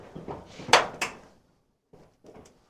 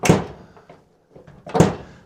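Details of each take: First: Squarebody Chevy/CUCV door after new striker bolts were installed and adjusted and the hinges checked and lubricated with assembly lube: the door swings and latches with two clean clicks, no creak or squeak, noise gone. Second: Squarebody Chevy/CUCV truck door: two dull thunks, door latches without fully closing; worn door striker lets the latch catch short, fixed by installing and adjusting new striker bolts.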